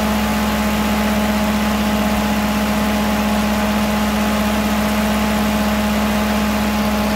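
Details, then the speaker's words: Ferguson TO20 tractor after gas tank and left front wheel bearing repair, started after checking fuel bowl and spark: steady even low drone with smooth regular beat, no knocks or misses; running normally. "all right spin it over y she's barking and we got fuel all it should be is just a popping off"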